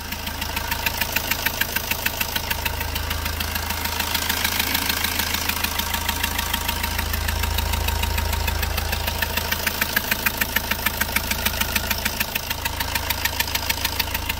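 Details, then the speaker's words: Fiat Punto 3 diesel idling with the hood open before repair. A sharp, even puffing tick about three per second over the clatter comes from compression leaking past failed injector seals on two cylinders. "on entend le retour de pressions cube que qq plus plus plus plus plus voilà c'est ça le bruit qu'on entend donc on a une faille au niveau du joint du portage hector sur deux cylindres"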